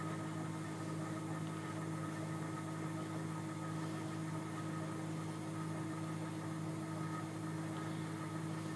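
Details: Sieg KX3 CNC mill cutting a logo with a center drill: an even, steady hum with clear whining tones at constant pitch while the stepper motors drive the table and the head. This is the normal stepper noise.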